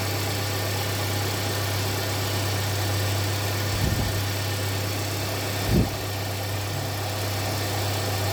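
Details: 2017 Hyundai Santa Fe Sport 2.4 restarted after P0301 cylinder 1 misfire work, codes cleared: an even, steady idle with no stumbles or missed beats, just brief handling bumps, running smoothly.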